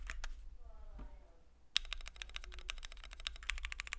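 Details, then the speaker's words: Keychron Q1 75% aluminum gasket-mount keyboard with PC plate, Gateron Phantom Red switches, double-shot ABS keycaps, case foam: fast soft thocky typing but a hollow echo and metallic ping from the case construction. "Now that's a sound test of this keyboard with its PC plate. You get a little bit more of a softer typing experience with that thockier sound signature. But we're still unfortunately plagued with its hollowness and pinginess of this keyboard construction."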